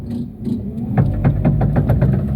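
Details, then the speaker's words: Chevrolet Cobalt making rapid, evenly spaced clicks over low engine rumble while maneuvering and turning right or left, from a worn CV joint (homocinética). It warns it will break unless replaced. "olha aí ó viu quando manobra quando para quando faz curva PR direita quando faz curva pra esquerda ela avisa que vai quebrar se você não trocar"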